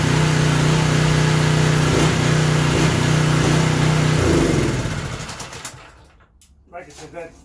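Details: Craftsman 3000 psi pressure washer engine hunting about every 1.5 seconds with no load, then shutting down; surge expected to stop under water-pressure load; oil had been overfilled.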